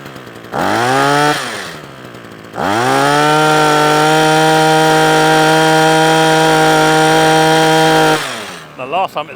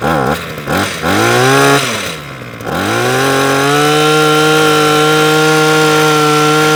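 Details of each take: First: Parkside two-stroke hedge trimmer after a new carburettor diaphragm and a cleaned fuel screen: quick rev, drop, then a clean high buzz held steady with no surging or cutting out. It now runs properly where it used to cut out after two or three minutes. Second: Parkside (likely SK1E34F-LD) petrol hedge trimmer that keeps cutting out, primed with about 15 purge-bulb pumps and choked; revs, sags and hunts unevenly before a high steady buzz; fuel starvation from hardened carb metering diaphragm and blocked fuel screen.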